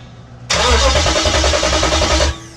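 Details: 98-03 Durango/Dakota with a Hemi swap, during starter and SKIM wiring: the starter spins the engine at a steady, even rhythm for about two seconds and it never catches, not getting fuel; crank, no start.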